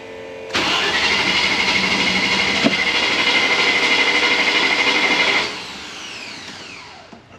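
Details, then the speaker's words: Range Rover Classic: catches and runs rough about five seconds, then dies; fuel pump heard priming. Owner suspects fuel starvation, leading to fuel filter replacement. "I know it's running it's initial pump if I spray some starter fluid in it it will turn over is but then it just stops as fuel starved so my guess is fuel starvation it doesn't have any fuel"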